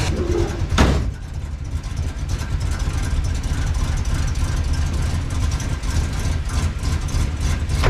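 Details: Circa-1965 Plymouth Fury wagon that sat about 20 years, total timing around 39–40 degrees and idling rough pending rejetting: a deep V8 rumble holds a smooth, steady pace above idle after a brief blip; normal running.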